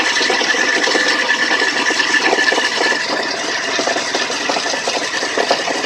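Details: Hyundai Sonata 3 engine at idle: fast, loose rattling knock about three per second, uneven in strength; cause not identified; engine knock.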